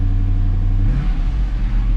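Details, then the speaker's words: 2011 Dodge Charger after a fuel pump replacement, started after priming: a deep, even rumble with a small smooth rev rise and no misses or knocks. Runs normally. "Sounds good. That's it."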